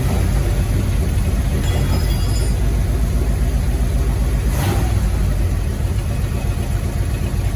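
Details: Project truck after installing a second new fuel pump (first one would not pump): engine fires and holds a loud, steady run with a constant low roar and no stumble or sputter; fuel delivery seems fine.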